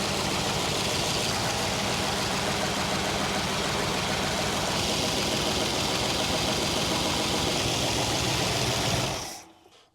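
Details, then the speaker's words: 1966 Chrysler Crown Imperial big-block, sat 21 years, after topping up power steering fluid: idles steadily with a faint quick tick about three per second over the exhaust; clicking noise, source unconfirmed, V-belts worn. "We'll see if that made the clicking noise go away. These V-belts are smoked. It actually seems to run pretty dang well."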